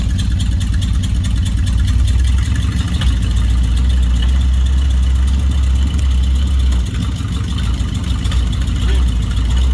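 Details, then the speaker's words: 1955 Dodge on a road test with a 70-year-old eBay two-speed automatic; low drivetrain drone and transmission whir build steadily, then dip around seven seconds as it upshifts cleanly at 20 to 40 mph, no slip flare or clunk. Normal upshift. "Oh, it shifted. >> 20 to 40. >> Wow. 20 to 40 mph is on the shift. Remember, this is only a two-speed transmission."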